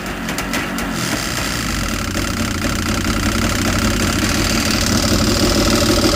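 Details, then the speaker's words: Yamaha GP800XL two-stroke jet ski idling after fuel cleanup: loose, uneven rattle about three per second over the burble, goes away when revved then returns; owner unsure whether radiator or engine mount. "we have a bit of a rattle going on here All right. Um, when you rev it up a little bit, the rattle goes away, then comes back again."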